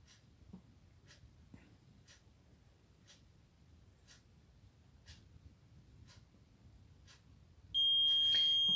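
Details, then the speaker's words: LG 20-inch colour TV not turning on, chuck-chuck noise from set: multimeter on continuity across horizontal output transistor gives a loud steady beep, 0 ohms; transistor dead shorted. "यह देखिए दोस्तों यह यहां पर यह बिल्कुल यह शॉर्ट हुआ है। पूरा शॉर्टिंग दे रहा है दोस्तों।"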